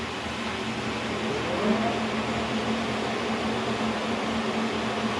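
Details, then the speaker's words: K&T milling machine, first run after oil flush and fill, stepping spindle speeds from 90 up to 1,000–1,500 RPM: even, steady spindle hum with a faint gear whine, no knocks or grinding; sounds healthy. "It sounds good. I'm actually really happy about that."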